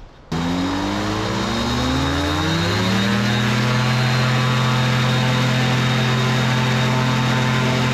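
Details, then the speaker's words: Microlight two-stroke with three-bladed prop, nose propped up, run hard: catches and climbs to a loud steady high drone without surging; serious power, healthy high-rpm run. "neighbors will really appreciate a nice bit of of Aviation she's got some power some serious power"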